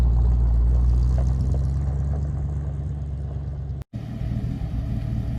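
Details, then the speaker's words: 1956 Ford F-100 exhaust after adding tailpipes and relocating the O2 sensor to cure highway drone: deep steady low rumble while cruising, much quieter, only mild drone left, no rasp, ticks or leaks; healthy exhaust note. "I can say it's significantly quieter than it was almost too quiet now but we'll live with that for now it does still have some drone but it's not nearly as bad"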